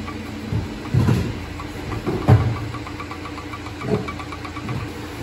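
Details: BMW 320d Touring (3 Series) diesel at low steady idle, single heavy "ttang" thud on each drive-reverse shift; an earlier front part replacement made no change, disassembly found transfer case splines worn away.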